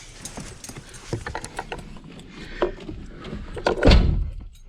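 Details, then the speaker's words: Scion FR-S power window that won't go up; scattered clicks and clunks, then a strained grinding burst as the motor fights. Owner suspects the track or regulator rather than the motor. Cause not confirmed. "Oh, that doesn't sound good, actually. Yeah, I think the track is screwed."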